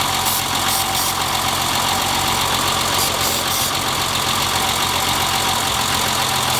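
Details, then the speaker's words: BMW E30 at idle: loud uneven idle with an irregular stumble about three or four a second; brake cleaner around intake changed nothing; misfire ultimately caused by a clogged fuel rail. "well as you can tell sprayed some brake cleaner around idle quality didn't change at all whatsoever it is misfiring"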